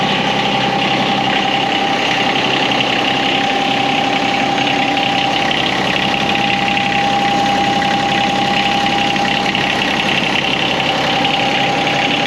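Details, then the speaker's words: John Deere X758 mower right after an oil change, started to check for leaks: busy, steady idle with a constant whine and even chatter, no hunting or knocking; noisy but normal little engine. "there's a noisy little engine all right so we'll let it sit for a little bit"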